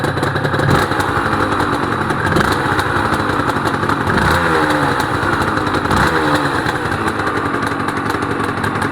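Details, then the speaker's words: Honda NSR250R-SP MC18 250cc two-stroke grey import on JHA pipes, start of a restoration project, recorded from low down near the pipes: crisp, even ring-ding idle with light blips and no misfire or clatter. Normal two-stroke idle. "Wow. Those pipes sound nice. Wow, those pipes do sound nice. I'll get down low so you can hear them."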